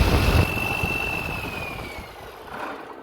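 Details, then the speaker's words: 3588 diesel just rebuilt, first run after bleeding the fuel, throttle linkage not yet adjusted: steady, even idle with open-top valve clatter and no knocks. Healthy normal idle. "and yeah she's sounding good and it just it took a little bit to get it get all the lot all the fuel bled throu"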